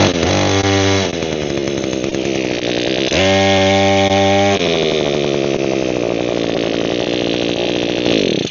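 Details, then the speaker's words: Echo two-stroke hedge trimmer with a broken primer bulb, running after the bar was loosened, checked and retightened. The engine buzzes hard and rises and falls with throttle, but there is no blade chatter: the cutter blades stay seized and the gearbox still needs opening. "So the bar is not stuck, because it's not. I pulled it apart from that. Alright, those are all back on there. Well, I just tightened a few things. I don't think it's gonna have the blades move, but we'll give it a try."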